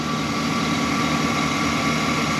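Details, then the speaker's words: 2015 Chevy Express van after bank 2 injector misfire: pushing in a fuse restored power on both sides; smooth constant idle with even tone and no missing or stumbling beats, all cylinders firing. "push the oil to the top I have power on one side and Power on the other and the car is running all right"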